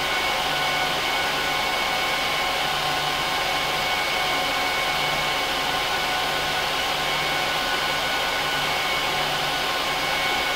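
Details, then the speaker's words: HP ProLiant DL380p Gen8 server with all 24 DIMM slots filled, eight 300 GB 10,000 rpm drives in RAID 5, both power supplies, no cards: loud, steady rushing air with a constant whine as fans run flat out during POST. "I'm going to let it run through a full post and boot up so you can hear how loud it is"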